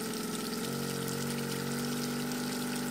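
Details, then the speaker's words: Newly fitted Yamaha 90hp four-stroke outboard (swapped in for a 60hp two-stroke), run with water hooked up on first start, holds a steady high drone with fast revs that never drop to idle over water splashing; misadjusted throttle linkage causing high idle. "we had to actually adjust the linkage if you seen in the video when the first time i started it up it was revving really high high rpms and whenever you were doing a throttle it was kind of weir"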